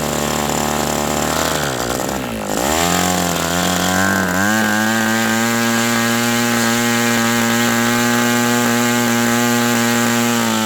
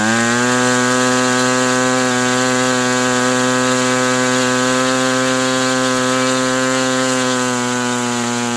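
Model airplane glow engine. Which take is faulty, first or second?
first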